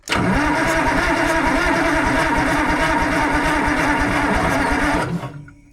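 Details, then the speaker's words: Fiat-Allis 645B loader diesel, injection pump in shutdown position: steady cranking at about three compression beats a second for five seconds, never catches, no fuel reaching injectors, diaphragm lift pump suspected; crank no start. "It's cranking over pretty decent, but still no fuel. Come on, fuel."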